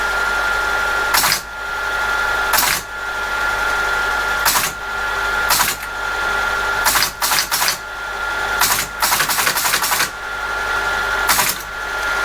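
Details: ASR33 teletype under restoration, with the punch refitted, powered up in local mode: steady motor hum with bursts of sharp mechanical clatter from the printing mechanism; running normally.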